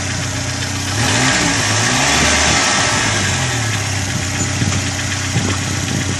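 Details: Chevrolet Corsa engine at idle: fast light ticking about four a second over the engine, hydraulic lifters slow to pump up because a dirty oil pickup in the sump starves them of oil. Noisy lifters from oil starvation.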